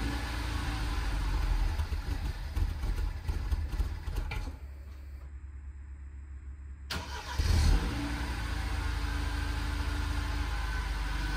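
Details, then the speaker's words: BMW F30 316i N13, cold start at about 0°C ambient: catches, runs rough and uneven, then sags and dies unless throttle held for minutes; no codes; coolant sensor read 28°C, later confirmed faulty sensor indicating warm engine. "now it doesn't start at all unless I keep that throttle pedal down for a couple of minutes if I let go in the first minute or so it just dies"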